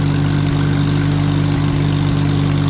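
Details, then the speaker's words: Allis Chalmers WD tractor running for the first time in 25 years: smooth, even low idle with a steady beat, no knocks or misses, running like a sewing machine; healthy. "That sounds good. It does sound good. I can't deny that."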